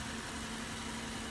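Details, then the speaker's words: Chevrolet Cobalt with 50,000 miles, sat unused; steady even smooth low hum, no squeaks, knocks or misses, engine runs cool and healthy. "runs nice and cool no squeaks no knocks no noises"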